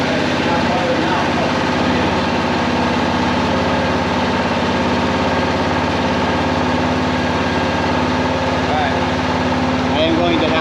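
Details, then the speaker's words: Kawasaki Prairie 400 single-cylinder ATV after engine rebuild with new cylinder, first start on choke: fast, slightly uneven thumping idle, smoking; carburetor still acting up, owner thinks it needs a float adjustment; rough idle. "the carburetor is still acting up so I think it needs a float adjustment"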